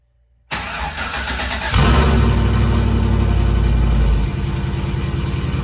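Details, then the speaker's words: Vehicle with new long-tube headers and 3-inch pipe ending in a turn-down, not connected to the rest of the exhaust, first start in three days: brief crank, harsh very loud blatty roar settling to rough idle; open exhaust. "well kind of as expected it sounds like absolute butt cheeks but we're hopefully going to be fixing that today"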